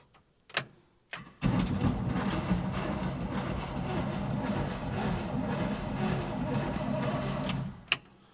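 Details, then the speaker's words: 1970 Chevrolet K10 4x4 pickup, first crank after sitting 26 years. A few solenoid clicks, then the starter churns for about six seconds with an uneven chug, turning over with audible compression: rough cranking. "well it sounds pretty ugly but it's turning over and I can hear compression"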